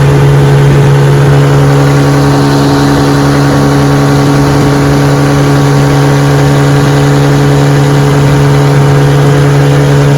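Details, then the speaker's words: 1957 5 HP Sea King two-stroke outboard, restored, on a bayou test run on a chilly morning pushing a 14 ft boat about 10 mph: steady, even low drone under load with no misses or surges; runs great. "All right, we're out here on the bayou giving her a test run. She runs great."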